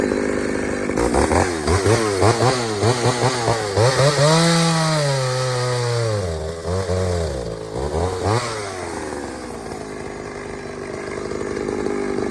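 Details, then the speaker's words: Pioneer 3270 chainsaw with a super duty safety chain and a mismatched carburetor, likely from a 60cc saw: screams high and surges in pitch under cut, never holding a steady pull; running lean, so the carb is being swapped. "all right so everything about that little test run tells me this all's gone lean i am not surprised"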